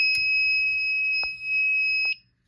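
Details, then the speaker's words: Silent Knight SK-4 fire alarm panel just reset, with an FCI MS6 pull station and Pre-ADA Wheelock horn/bell strobes: a steady high-pitched tone holds about two seconds then cuts off. This is the battery trouble signal because no standby batteries are fitted. "Battery trouble's gonna go off because obviously there's no batteries."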